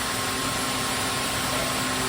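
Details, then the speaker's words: Fan powered through a computer UPS converted to an inverter with a 12 V battery and computer SMPS, just switched on: even whoosh of moving air with a faint steady hum, no rattles or scraping; the fan runs smoothly at good speed. "দেখতেই পাচ্ছেন কতটা স্পিডে পাখাটা চলছে, যথেষ্ট হাওয়া দেয়।"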